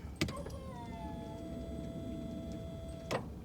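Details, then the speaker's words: 1995 Mercedes E320 Cabriolet (W124) convertible top hydraulic pump: steady electric motor whine at one pitch after a brief falling start, top won't go up after fluid top-up; owner suspects air in the long-unused system, later a hydraulic fluid leak appears. "I think we just have so much air in the system after, 47 years of not working. So let's just see if I try to make it open. It doesn't want to do that."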